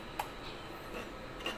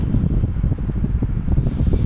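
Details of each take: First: 16-inch Hatari fan fitted with a Sharp replacement blade of a different model: sharp clacks about a second apart over faint hum as the blade hub sits too deep and catches the housing edge. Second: Hatari 16-inch electric fan after a broken blade was replaced with a Sharp blade of a different model and the hub trimmed to stop rubbing; on speed 1 it runs with a steady low airy hum, no clacking, turning freely; normal running.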